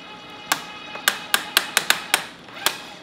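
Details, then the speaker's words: Electric tapping arm cutting 3/8 thread in thick plate, flex collar at about 75 speed: uneven sharp clicks as the safety clutch slips, setting too light to give needed torque. "so you hear that clicking that's actually the clutch engaging I think the clutch setting is a little light on this call but we'll see if we can get through this 3 8 plate so what's happening is the clutch is engaging and it's not allowing this to get the necessary torque to make that tap"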